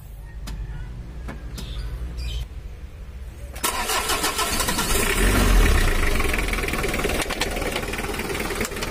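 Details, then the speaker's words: Old Mitsubishi L300 diesel after swapping in a newer-model starter dynamo: smooth, healthy starter cranking, then catches and settles to a steady idle, less rough than before; idle slightly low because injection pump delivery is lacking. "Udah halus ya lur untuk suara starternya, dan mesinnya udah mendingan, nggak terlalu kasar."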